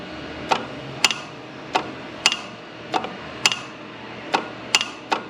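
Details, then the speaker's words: Jeep XJ AC compressor being converted to an air compressor, engine off: the clutch is energized with a jumper wire from the battery through its single-wire plug. Sharp metallic snaps about once a second show the compressor clutch engaging normally. "So, it appears that the uh the clutch is working."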